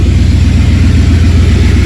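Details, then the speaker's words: 1994 Ford F-150 with a new alternator, just started: loud but steady low idle with an even pulse and no misses or knocks, so the engine is running normally. "So now, let's go over here and start it up. And as you can tell, it's loud, so don't worry about that."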